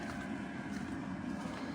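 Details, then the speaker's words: Eberspacher Airtronic heater after a blocked air intake port was cleaned and a new gauze filter fitted. On a 10-minute test firing there is a quiet, even burner roar and steady fan hum with no sputtering. It is running normally. "Going to run it through a few times and just make sure that all is well. All right. So, I can hear that's running well."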